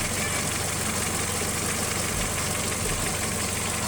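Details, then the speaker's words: VW Jetta after replacing the faulty throttle body (codes P1579, P1545, P1558, EPC light): fault code still stored but idle is now steady and even with no dips or stumbles; normal idle, surging fixed. "the fault code is still there, but you can see that the engine is not doing rough idle, and it's pretty much stable."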